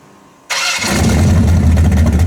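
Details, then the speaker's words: Engine right after setting ignition timing to about 24-26 degrees before advance, no pump shot: it catches instantly and settles into a deep, even rumble with no stumble or hesitation; it started much better, a normal start and rev. "All right, timing's set. But the timing is set. Yeah, it started way better right there."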